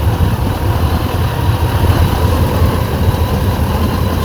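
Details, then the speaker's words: Rover SD1 3500 Vanden Plas V8, running after about 10 years laid up: deep, even burble at steady idle with no misses, knocks or ticks, though fuel pump overfeeds and carb overflow drains; runs sweet, normal idle. "so obviously the fuel pump is actually pumping too much feel but he's running it sounds sweet you know top n Lakes"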